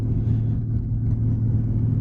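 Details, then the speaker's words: Jeep Grand Cherokee WJ, 209,000 km, driving after the fuel filter was replaced and a kinked fuel line repaired. An even low rumble with no misses, knocks or stumbles; the engine is purring. Normal running engine. "mean, it's purring. It is purring."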